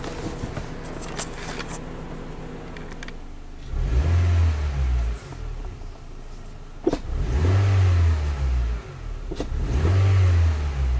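Engine pulls in uneven surges on each throttle blip, the low rumble breaking up and stumbling rather than climbing smoothly, suggesting a misfire under load. Cause suspected, not confirmed.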